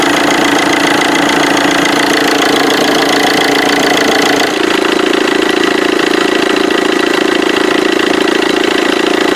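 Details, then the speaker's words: Vauxhall Corsa D 1.3 CDTI diesel idle: loud, fast rattle and buzz from the left-side auxiliary belt, about four beats a second; belt and tensioner vibrating from a seized alternator overrunning pulley. "so actually just heard quite a rattle sound coming from the side of this engine and it's actually from the belt itself from the auxiliary belt"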